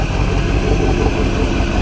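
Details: Supercharged Corvette V8, first start after installing an MSD Boost Timing Master: deep, steady idle with an even lumpy burble and no knocks, misses or whine; running healthy.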